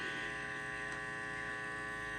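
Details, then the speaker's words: Heathkit IT-12 tube signal tracer at very high gain, checking for a station at the antenna: a constant buzzing mains hum with faint hiss nearly drowns the faint station. "Uh, I can hear that faint radio station in the background right there, but there's a lot of other noise cuz I'm having to bring the the gain up so much on here to hear that."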